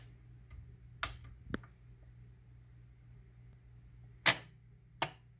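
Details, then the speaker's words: Electrohome Milford console stereo with a Garrard 2025TC record changer, after repair: a quiet hum, then sharp clicks as the arm picks up, returns and stops. A normal changer cycle. "Okay, that is working. Picks up."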